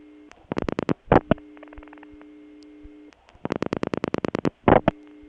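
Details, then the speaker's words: Bell System No. 355 step-by-step office, Kent CT, August 1980: clean interrupted busy tone from the Sharon ringing machine, evenly spaced bursts at steady pitch, no slowing or pitch loss; ringing machine running at proper speed. "the busy signal indicates that this Sharon ringing machine is in really good shape it doesn't have any speed problems as many of them did"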